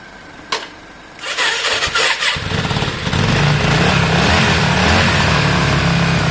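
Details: Yamaha Virago V-twin after carb work, fuel primed, choke on: it cranks, stumbles a few times, then catches and holds a steady, lumpy twin idle. It doesn't sound too bad; runs fine.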